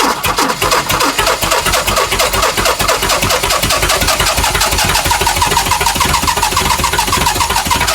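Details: Chrysler CM Valiant Hemi 265 six with a rebuilt starter wired through a bypass switch, new fuel pump fitted: starter spins the engine at a steady, even cranking rhythm throughout with no firing or catch; cranks but won't start.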